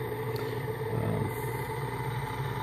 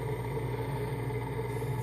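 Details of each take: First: Large motor driven by a home-built PWM AC controller, sitting on a big board; steady low hum with droning ring; the mounting board resonates, making it sound louder than the motor actually is. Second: Large three-phase AC induction motor from a Mitsubishi forklift on a home-built inverter controller, first trial run, rpm unknown with no encoder; steady low hum with a few fixed tones, slow even turning, resonant board may exaggerate sound; normal inverter motor whine at low speed.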